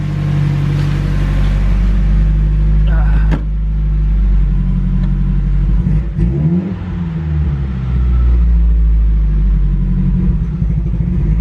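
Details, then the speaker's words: Datsun B310 Sunny Coupe with SR20DET swap, engine not finished (oil catch can and breathing still incomplete): revved on the pedal, it stumbles briefly mid-rise, then recovers and pulls on. A tiny flat spot in the throttle response. "a little bit of a flat it's got a tiny bit of a flat spot there"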